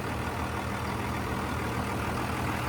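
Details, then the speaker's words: Diesel engine, first start after fitting turbo and intercooler piping, fresh coolant, in neutral, mic in the engine bay: low, steady hum with an even beat, no knocks or whistles; quiet, smooth idle. "well she's paring like a kitten up here very quiet up here in the engine bay"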